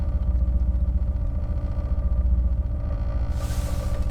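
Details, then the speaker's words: Jeep SRT 6.4 392 Hemi V8 at idle after dealer replaced camshaft, gaskets, injectors and lifters: low lumpy rough idle, uneven pulses about four per second with faint tick; owner suspects lifter failure again, unconfirmed. Rough idle with ticking. "i don't know if you guys can hear that ticking sound i don't know if you guys can really pick that up just doesn't feel normal so honestly i i really do think i just have lifter failure"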